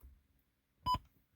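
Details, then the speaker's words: $30 7-inch double-DIN touchscreen head unit in a Saturn ION: one short, clean, mid-pitched beep when adjusting controls. This is the key-press tone, which can be switched off in settings, not a fault. "the only thing I don't like is the fact that it makes a beeping noise when you turn everything up and down I don't like that"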